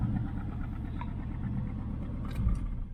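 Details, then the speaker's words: 1968 Nomad with side pipes at idle: a deep, loud rumble with a slightly uneven beat, the one-side miss hard to pick out. The miss is felt on light throttle from a start and clears at wide-open throttle. Cause unknown; compression test planned. "you can feel it when you're driving when you start off if you just put the gas down a little bit you can hear it feel a little bit of a Miss"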